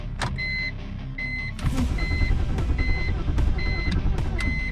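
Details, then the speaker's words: 2001 BMW 330xi 3.0L after the rubber hose install with a new battery and codes not yet cleared: door chime beeping, then steady cranking with a few uneven catches that never pick up. Now fires consecutively but won't start; fuel, spark or computer suspected. "maybe if we delete the codes because i did just put new stuff in there i should have done that first but at least now it consecutively fires where before it just didn't do anything"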